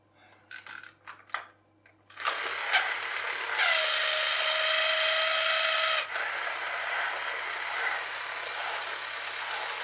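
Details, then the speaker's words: Fully reassembled charity-shop toy electric train: the small motor whirs with a high whine and uneven gear chatter. A split drive gear, seen at the start, stops it running properly; it needs a replacement gear. "it's not going to work because we've got that split gear in there which I saw right at the very beginning"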